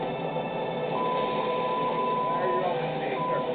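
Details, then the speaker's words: Amtrak Genesis locomotive cab, accelerating just past 79 mph maximum authorized speed (overspeed set at 83): steady high warning tone sounds twice over loud cab rumble; overspeed alarm, train stops if engineer doesn't respond. "Hear the beeping? That's telling him he's going too fast. If he doesn't respond, the train's going to come to a stop, and he's going to have to answer to somebody."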